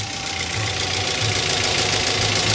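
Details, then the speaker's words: Petrol engine idling with the fan belt removed, so alternator, water pump and AC compressor are not driven and the battery light stays on: steady, even hum, no rattle or knock from inside the block; the noise is gone, normal idle. "Nah sekarang kalau pastinya lain gini tiba-tiba sudah enggak bunyinya sudah hilang Maksudnya sudah enggak bersih lagi"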